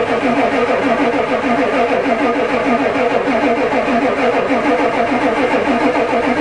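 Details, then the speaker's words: Ford diesel truck at +4 °C, newly installed glow plug controller never clicks: starter churns steadily about three pulses a second, briefly fires, diesel smell, but won't catch; owner suspects the controller isn't working, crank no start. "I think I should be hearing that thing clicking but it's not so maybe it doesn't work I don't think it works it never clicked once"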